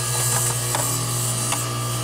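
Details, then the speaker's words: Bryant/Carrier heat pump outdoor fan motor powered directly from L1 for diagnosis: steady low hum with light ticking, spins evenly; motor works, but control board is not feeding L1 to the ODF BLK terminal. Normal fan motor running. "hear it see all the steam coming out that's what's supposed to happen no it's shaking whoo so that verifies that the fan works correct"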